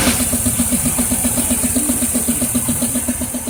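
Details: 2002 Pontiac Firebird 3800 Series II idling with a sharp, even ticking knock about four times a second from inside the engine; owner unsure if rod bearing, lifter or piston.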